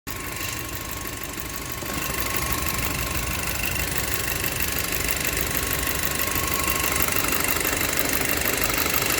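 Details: Audi A4 B7 2.0T turbo petrol engine at idle: a thin, steady whistle riding high above the engine noise; cause unknown.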